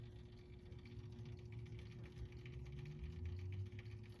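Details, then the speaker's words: Late-1960s Lanshire electric mantle clock with plastic-geared movement, serviced, running with a quiet steady low hum and soft mid tone that never wavers; not loud or distracting, normal running. "So as you can hear, it is making a noise, but it's not loud or distracting or anything."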